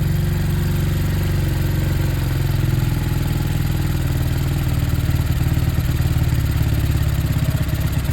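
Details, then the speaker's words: Sinnis Harrier motorcycle after Hanway carburetor conversion: steady, even single-cylinder putter at idle with choke off, strong low thump, no knocks or misses; runs clean. "How good does that sounds? Chokes off."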